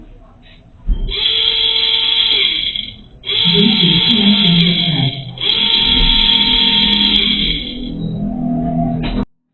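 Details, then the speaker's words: New rear windshield washer pump for a Toyota Avanza-type car, bench-tested before fitting; three short runs of a steady, even high-pitched electric whine as it spins up cleanly, confirming the new pump works and the old pump was at fault. "Nah, jadi water yang baru ini tadi sudah kita dengarkan ini berputar jadi kemungkinan ini kerja dan bersih dengan baik ya."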